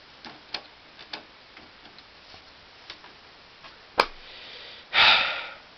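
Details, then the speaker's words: 2005 Symphonic VCR/DVD combo after eating a blank tape: light irregular ticking from the deck for several seconds, then a loud clunk and whirr as the cassette is refused; mechanism broken after tape salad. "but now I don't think this works anymore and now they won't even take it"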